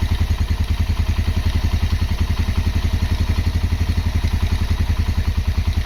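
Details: Honda GL Max Neotech engine idling after full restoration: even, steady single-cylinder putter with a regular beat and no knocking or chain rattle; normal, healthy idle.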